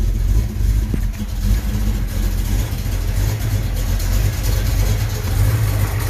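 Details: Mustang engine, first running after a failed start attempt and troubleshooting, before ignition timing is set: low uneven rumble surging and sagging, barely staying running; runs but won't idle.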